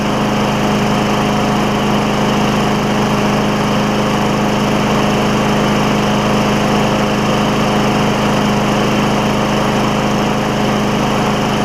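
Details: Craftsman mower, Tecumseh Vector engine, first run after a carburetor replacement, air filter off, burning off some oil: steady, high-pitched even drone with no surging or misses. Running normally.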